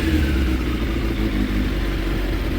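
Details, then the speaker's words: 2006 Suzuki GSX 600F Katana with iridium plugs, after carb air/fuel mixture screw adjustment: steady even exhaust burble at idle, no popping or misses, no excess smoke, rpm drops quickly to 1200; rich running fixed. "So now I fired the bike up again, and the screw is 1/4 in, and it sounds really healthy. Not any excessive smoke from the exhaust,"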